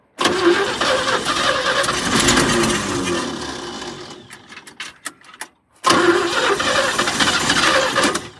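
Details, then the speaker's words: 1972 GMC tow truck sat 22 years, fuel pump not yet filling filter: catches, stumbles, dies after about four seconds, restarts running rough, won't run steadily; owner suspects fuel or carb problem, not confirmed. "Come on. Yeah, this is fuel related. It's not liking my carb."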